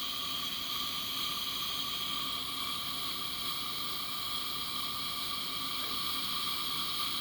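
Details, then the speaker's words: Coleman 502 camp stove after cleaning, check valve service and carb cleaner, generator warmed up and turned up: steady, even hissing roar with no sputter or pulsing; blue flame, burner running cleanly and healthy. "oh yeah she's running pretty [Music] fire it up blame it up [Music] let's see here where i can get you where you can see it got a pretty pretty blue flame"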